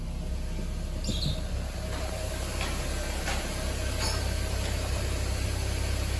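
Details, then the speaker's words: Ford Fiesta engine at low, even idle with the A/C off: smooth steady rumble with no knocks, ticks or squeals, and the engine sounds healthy; the noise problem only appears when the A/C is switched on. "ó ar condicionado desligado motor sereninho trabalhando do jeito sem tudo certinho"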